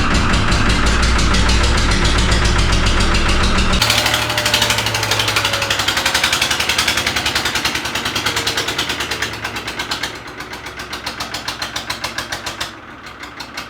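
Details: 3-cylinder Lister boat diesel, cold first start after 8 liters of water pumped out: lumpy clatter about four beats a second, revs surging and sagging at heavy throttle while stationary, a rough hunting idle. Air in the system or crankcase water suspected.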